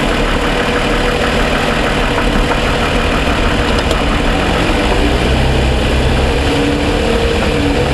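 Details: 2007 Toyota Sienna with suspected piston slap and cold-start ticking, fully warmed after about 45 minutes of driving: an even, steady low idle with only a faint tick underneath; normal warm idle.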